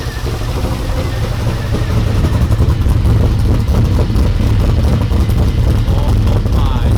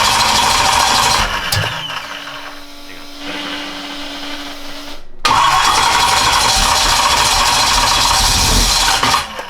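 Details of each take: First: 1992 Ford F150 prerunner V8 after fuel pressure regulator set up properly: steady even idle that builds slightly and holds with no stumble; oil pressure about 29-34 psi, charging 14.6 V; normal idle. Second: F150 prerunner at first run after a fuel pressure regulator was connected, throttle cable not yet hooked up: engine catches, sags into a thin, uneven idle, cuts out, then roars back; owner suspects low fuel and air in the lines.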